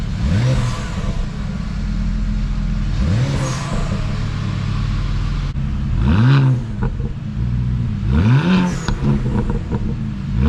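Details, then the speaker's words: BMW 335i N54 with newly fitted VRSF catless downpipes, cold and not yet warm after 3–4 days sitting: firm idle with sharp clean throttle blips, deeper throatier jet-like note, no codes or rattles; healthy. "First start up seems good, no codes coming up. Tapping the gas, it's not really warm yet, so I probably should wait. But this thing sounds like a jet."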